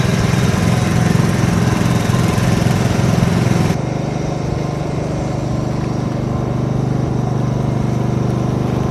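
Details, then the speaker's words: 30-year-old Tohatsu M40D 40hp two-stroke outboard after repairing its worn fuel pump: crisp, even burble that settles without stumbling; running normally. "Ah. Well, it seems to be running just fine."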